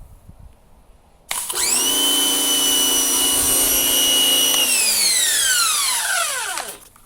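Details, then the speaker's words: Rebuilt Harbor Freight Portland 63254/63255 electric pressure washer with water connected, after priming: a steady high motor whine starts sharply, holds about three seconds, then winds down smoothly; motor and pump running normally after the rebuild. "So it should stop once it's done priming, which it did. Just make sure your lock is off and it should start. So looks like we did it right."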